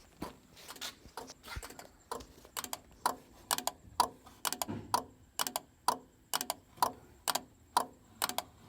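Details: '64 Mercury Comet LED taillight sequencer with mechanical relays, after adding a 4-pin plug: steady crisp relay clicks in repeating groups about once a second, no buzzing or chatter; sequencer relays cycling normally.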